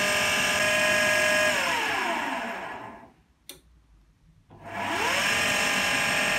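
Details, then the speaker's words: AEG Lavatherm 56800 dryer, after PCB relay swap to fix motor turning only one direction: motor winds down, pauses about a second, spins back up the other way, and it is heating; drum reversing normally. "what's going this way then it went that way for two seconds and now it's going this way again and it is heating up"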